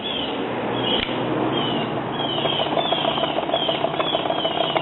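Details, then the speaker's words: 1952 Silvertone record player with 115 V motor and 50L6 tube, first power-up after restoration: steady motor hum with a soft bump about three times a second from a dented rubber idler drive wheel thumping as it turns. "yeah bumpity bump bump from a drive wheel that's all dented up"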